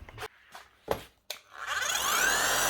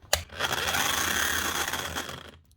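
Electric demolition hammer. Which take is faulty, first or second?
second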